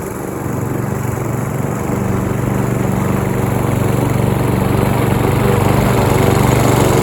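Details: Roadside-found Troy-Bilt TB230 self-propelled lawn mower (Briggs & Stratton) after tune-up and cleaning dirt and rusted metal from under the deck, cutting grass: steady, even single-cylinder drone holding speed, no misses or knocks; normal running under load.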